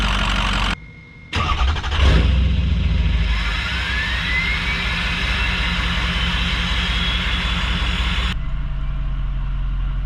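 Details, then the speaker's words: Ford 6.0 diesel pickup starting promptly with a short crank, rising then settling to an even diesel idle clatter with a steady turbo whistle. Starts well hot or cold, quicker after letting the fuel pump prime; it previously needed 4–8 cranks of about 10 seconds each. Normal start and idle. "Starts good when it's hot, starts good when it's cold. It does start a lot quicker when I let the fuel pump do its thing, but she starts good every time."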